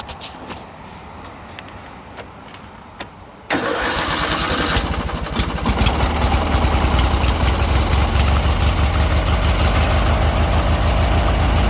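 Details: 18 hp Murray V-twin riding mower, after carb cleaning fixed rough idle and surging: cranks and catches, then settles into a steady, even idle with no surging or hunting; normal idle.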